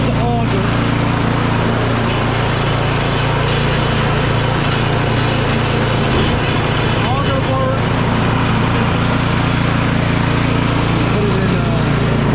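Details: Craftsman 24-inch electric-start snow blower, long-sitting, running on choke after clogged carburetor serviced: small single-cylinder engine holds a steady, even patter with no misses or surging; clean, healthy run.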